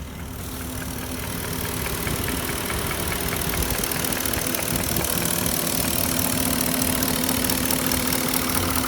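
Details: '04 Porsche Cayenne S 4.5L V8, a high-mileage car, with a used swapped engine: at idle a light, uneven knock of about two beats a second taps over the running engine. It is piston slap, later cured by a rebuilt Nikasil engine with JE pistons.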